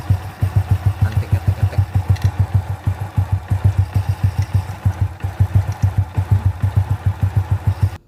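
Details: Honda Supra/C800 (C100-based) motorcycle after repair of a ticking noise at the left magneto cover: steady low thumping idle about two beats a second, even and clean with no ticking; loose cover damping plate re-glued, now normal idle.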